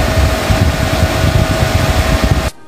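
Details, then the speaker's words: Camper van inverter with a 60 W charger connected: after warming, its stock cooling fan suddenly kicks in with a loud constant whoosh and steady mid-pitched whine, then cuts off; fan is too loud, before replacement with PWM temperature-controlled fan. "Suddenly it started to turn around So loud You should be woken up during this sleep"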